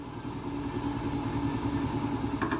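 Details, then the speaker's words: Washing machine: steady drone with fast buzzy pulsing and rattle because a concrete counterweight block on the drum is loose on one side; pressing on it stops the noise; fix by tightening the bolt or spring. "Genellikle bu tür sesler kadın üzerindeki beton blokların sabit olmaması kaynaklı oluşu Bu gördüğünüz gibi bir tarafın şınga gevşek olduğu görülüyor"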